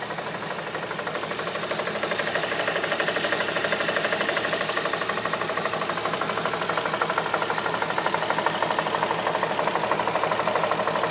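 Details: 2007 Audi A3 3.2 V6 petrol idling with a steady, sharp knock about three times a second; engine knock.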